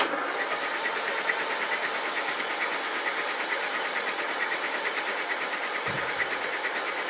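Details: Land Rover engine during restoration, after distributor realignment and static ignition timing, once the starter solenoid body was earthed; even, rhythmic whirring at about two beats a second, no grinding or clunks; normal cranking, oil reaching the tappets.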